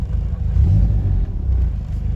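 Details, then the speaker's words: VW Golf Mk1 with CIS (K-Jetronic) injection, idle screw raised to about 800 RPM: deep steady idle, then a short throttle blip that picks up cleanly and drops back smoothly; owner says it still feels gutless on the road. "Ah yeah, somewhere about there looks to be correct. About 800 RPM is where I like to keep it."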